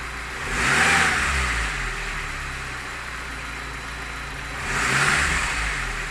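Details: Lada Niva engine, two quick blips from idle: a knock sharpens as revs climb and fades back at idle; owner asks what it is, cause not yet clear.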